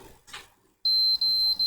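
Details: PS4 fat console that won't turn on: three long high-pitched beeps with short breaks at power-up, fan runs, blue light flickers, never boots.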